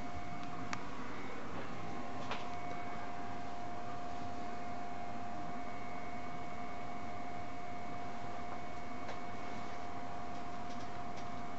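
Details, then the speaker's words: Marco/Nidek OPD Scan ophthalmic instrument just fired up after repair, power supply fan bearings cleaned of dust: soft even airflow hiss with faint steady hum, no rattle or wobble; normal quiet cooling fan running. "okay it's fired up oh listen to that nice and quiet sounds like a regular computer that sounds good"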